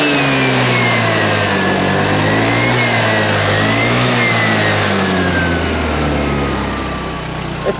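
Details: 2012 Piaggio Fly 125 scooter, warmed up after choke went off: engine revs up and back down smoothly, pitch rising and falling cleanly with no rattles; healthy normal revving.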